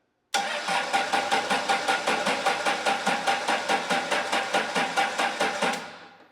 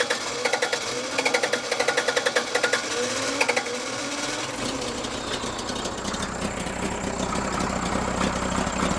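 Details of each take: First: Case 1840 with freshly rebuilt Cummins diesel (new rings, bearings, valve job, rebuilt injector pump, pump timing 12 BTDC) cranked via jumper switch on truck and 200 A jump pack; steady two-and-a-half beats a second, even strokes, so compression judged fine, injectors or pump timing possibly suspect. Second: Freshly rebuilt Cummins diesel in Case 1840 skid steer, new injectors, rebuilt injection pump timed 12° BTDC, injection system just opened: rhythm stumbles with uneven, lumpy beats as revs rise; misfire, balance test suggests cylinders 1 and 2 weak, cause unconfirmed.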